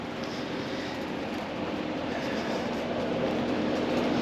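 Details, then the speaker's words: Residential AC outdoor unit, no cooling: only steady fan whoosh, no compressor hum; compressor not starting from lost power leg, wire burnt off at contactor, burnt contactor lug, compressor side of capacitor at 0 µF. "I already been inside turned the unit on uh fan kicks on and the outdoor unit the fan kicks on but there's no compressor"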